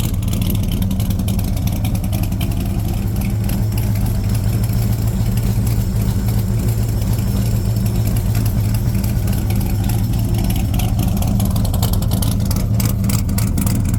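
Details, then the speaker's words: 1978 Corvette C3 V8 with newly fitted side pipes, after heads refitted following a year sitting: deep steady rumble through open pipes, firing even throughout; healthy idle. "so I got to admit pretty happy pretty happy with the sound pretty definitely happy with the look"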